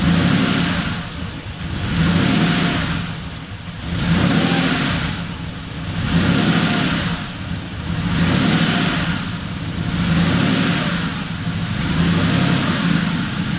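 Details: Air-cooled Porsche 911 3.0SC converted to EFI and turbo, original 3.2 throttle body, idle air bleed screw opened one turn: settles to steady idle, then even repeated blips returning cleanly to idle; runs normally.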